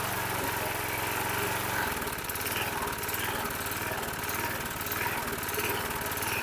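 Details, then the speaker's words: 2005 Troy-Bilt 21" push mower, engine 129K02, just started after priming: the single-cylinder idle rises and sags every second or two; the primer bulb smooths it, then it surges again, showing fuel starvation. "you heard it hunting I went ahead and used my primer bulb to slowly push fuel up into the the throat and as I did you you heard the engine smooth out without giving it fuel it went back to surging surging surging"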